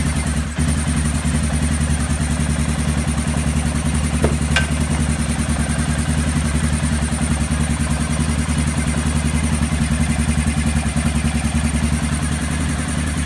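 The single settles into a steady, even idle with a light mechanical patter and no misses, running properly on the stock ECU.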